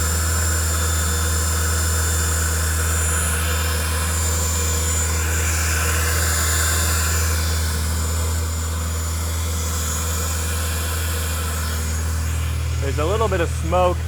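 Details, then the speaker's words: Audi B8, first start after a CTS BOSS 500 big turbo install, not yet tuned; steady, even idle with a faint high whistle on top, no knocks or misses, spaceship-like sound; normal idle, new-part smoke burning off. "so I'm gonna let it run for a little while sounds like a spaceship which is sick"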